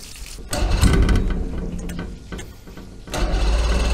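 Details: Force 120 hp two-stroke outboard, started on the key with two-stroke fuel: deep throbbing rumble surging as throttle opens and eases, keeps running without stalling; sounds healthy.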